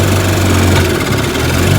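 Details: 1955 Johnson Seahorse 10 hp outboard after mechanical restoration (ignition, carburetor, gearcase rebuilt): steady, even two-stroke putter at idle with constant beat and no stumbling; normal idle.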